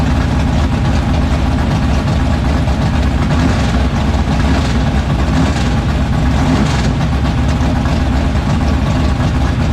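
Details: 1976 Chevrolet Vega drag car with new 427 V8, restarted after fixing no oil pressure (distributor not seated on oil pump): loud steady lumpy idle, no knocking or ticking; great oil pressure, healthy.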